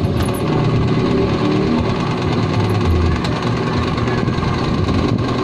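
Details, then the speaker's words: Noisy stand fan running slowly gives a rough scraping rumble; repairer suspects the capacitor and says it needs oil, consistent with a dry rear motor bushing. "Ayan. Parang may narinig akong kumakaskas."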